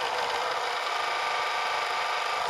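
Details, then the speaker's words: Laptop chill mat with three small fans, centre one worst: rough, rattling whir-buzz, worse with a laptop on it; noisy fan bearings letting blades wobble. "they're kind of they're all making noise uh mainly that center one but um the same problem it seems to exist on all three of them"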